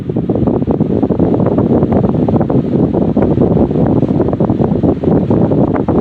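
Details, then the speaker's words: Restored Patton 14" U2-1479 fan started on high speed after new oil wick felt, fresh bearing oil, polished rotor shaft and revarnished stator; steady whooshing rush of air with no ticking, scraping or wobble, normal running. "Let's go ahead and plug it in. And let's start it up on the high speed."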